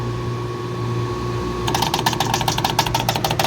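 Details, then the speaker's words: Two-stage Carrier R-410A package AC unit not cooling, 82°F return air on a 90°F+ day: steady hum then rapid buzzing contactor chatter about nine per second, blamed on a faulty pressure switch; compressor then tripped on overload. Major restrictions in both refrigerant circuits. "why am I getting voltage I said switch [Music] it's that damn switch"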